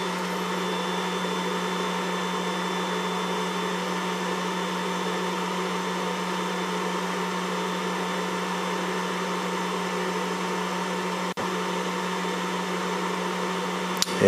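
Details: Refuge LFP 100 Pro portable solar generator, pure sine wave inverter rated 900 W continuous, 1,000 W for 5 minutes, after an overheat shutdown at higher load, recorded near the fan: steady even fan rush and constant hum, fan at full speed cooling normally.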